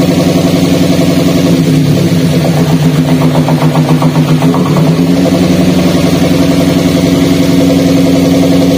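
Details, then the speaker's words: Gran Max with low power and stuttering, petrol engine idling with an uneven, stumbling beat from a dead ignition coil; unplugging one coil gives no change, while unplugging coil 3 makes the vibration and limping exhaust sound worse. "namun ketika kami tadi Cabut ya untuk posisi soket koil nomor tiga untuk pasiennya itu jadi tambah parah untuk getarannya kemudian suara di kenalpotnya juga Terdengar sangat jelas ya tambah pincang"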